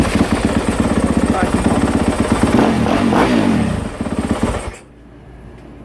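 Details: 2023 Yamaha YZ250F after replacing and setting the throttle position sensor for intermittent bog-and-die coming out of corners: brief crisp start and quick throttle blips, firing clean and even before shutoff; running healthy, new TPS fixed it.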